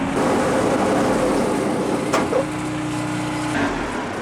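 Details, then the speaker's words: John Deere tractor running a Marketplace hydraulic leaf vac: engine runs, then sags and cuts out, dying even with the PTO disengaged, as if fuel were shut off. Oil pressure light comes on despite plenty of oil, and the fuel pump is heard running; cause unknown. "it died again it's dying like i'm shutting the fuel off"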